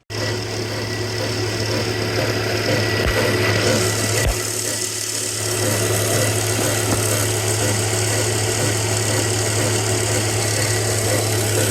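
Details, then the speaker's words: 2002 Volvo V70, timing belt reportedly replaced about 20,000 miles ago, with an aftermarket water pump and a suspected aftermarket idler; petrol engine idles steadily with a busy whirring chatter over its hum, source not yet found. "Let's start it up. See if we can tell where the sound's coming from."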